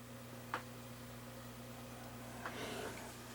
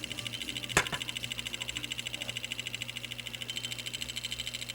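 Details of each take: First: Sony MiniDisc recorder after cleaning a dust-clouded laser lens and blowing it with compressed air: a couple of soft clicks and faint whirring over a low hum as the disc loads and the table of contents reads normally. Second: Sony MiniDisc recorder recording with the head lowered onto the spinning disc: faint, quick, uneven ticking about three a second over a thin high hiss, probably from dirt on the disc.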